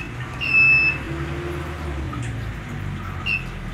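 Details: Cheap inverter driving a 1/2 hp motor pump at startup: two sharp high beeps about three seconds apart over a faint low hum as it fails to start the pump; inverter overload alarm.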